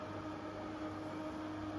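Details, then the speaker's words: New Intervent 4" white axial extractor fan with pullcord (NVF100P), unboxing test: steady airy rush over a low hum, no rattle, some motor whine audible; running healthy and sounds strong. "All you can hear is the impellers. You can't hear the motor whining. In this one, you can definitely hear the motor whining. So, uh, yeah, at least it sounds healthy."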